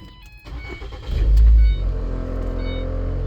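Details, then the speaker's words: 2010 Ford Transit Connect old heater/AC blower motor switched on at speed one: loud surge at start, then a droning hum with a whirring tone; noisy blower motor due to be replaced. "Eh, oiga cómo hace el el ventilador viejo cuando le pone al ya sea al uno, o se oye más fuerte cuando empieza,"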